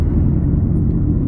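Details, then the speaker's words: Car at 40 mph with Amazon electronic noise detector clamps taped to the wheels, channels 2 and 6 flagged: steady low growling rumble under road noise; bad wheel bearings, more than one needing replacement. "I'm doing 40 miles an hour, and they all go nuts now because they're sensitive."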